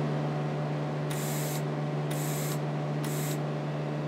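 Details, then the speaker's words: Miller CP-300 welder bought untested at auction, running in the shop with the mic held up close: three clean half-second hissing bursts of shielding gas over a steady mains hum when jogged; gas flows normally on jog, but none comes when the trigger is pulled. "kind of up here you can kind of hear the gas flow there"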